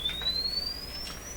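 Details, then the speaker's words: RCA Victor Model 67V1 console radio audio section after replacing all paper audio capacitors: clean pure test tone sweeps smoothly upward with no buzz, rattle or crackle; maybe slightly better high-tone capability. "i'm not sure it made any real operating uh difference at this point it's hard to say maybe a little higher in tone capability"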